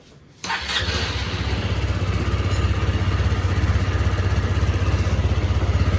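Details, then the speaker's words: Rebuilt Honda SH 150i (Italian) scooter engine after overheating with no coolant seized the piston. Now has new piston, rings and bearings, carefully adjusted valves and a cleaned injector. Night test after reassembly: quick start, quiet even idle, only injector ticking. Normal start and idle. "là im nha anh em, mặc dù giờ này là ban đêm á, ban đêm là nó im lắm á, chứ ban ngày là nó im nữa. Chỉ nghe tiếng bếp phun hả, cam cò mình chỉnh kỹ lắm."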